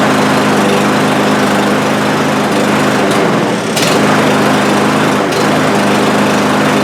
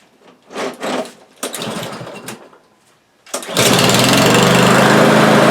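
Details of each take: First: Cub Cadet lawn mower with over a hundred acres of use: it revs up and sags unevenly every few seconds, hunting and stumbling and stalling after starting, as if running out of fuel. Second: Cub Cadet single-cylinder lawn mower that started then stalled, after carburetor cleaning (passages and main-jet emulsion tube): after a few pulls it catches and runs steady, even and high-pitched with no surging; normal running.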